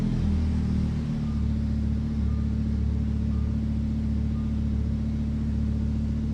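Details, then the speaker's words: Lamborghini Huracan V10, wrecked-rear rebuild, first start after swapping engine control units, run briefly with no coolant to check leaks: smooth, even deep idle rumble, no knocks or misses; normal idle. "I'm really happy the car started. I can't run it for that long. It has no coolant in it."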